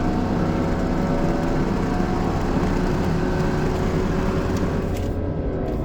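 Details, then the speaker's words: 2016 Chevy Colorado under acceleration: a heavy low drone with a faint steady whine, seemingly from near the rear differential. The truck separately failed inspection for catalytic converter or sensor faults. Cause unknown. "This is a 2016 Chevy Colorado. For whatever reason, every time I step on the gas, hear this noise."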